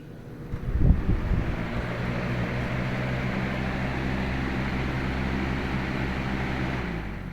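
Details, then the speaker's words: Lasko WeatherShield box fan (2017) with thermostat, switch click then running on low speed: soft airy whoosh over a low steady hum, even and unchanging; normal healthy running. "So, I'll do a low speed because I like low speed. So, I'm going to turn on low first."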